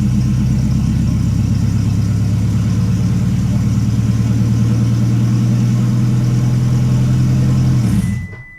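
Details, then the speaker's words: 2008 Toyota Prius after timing chain replacement, with injector connectors unplugged so the engine does not start. Smooth, even low cranking for about eight seconds with no firing, then it winds down while priming oil. "all right it did not start just like we wanted it to so it filled again"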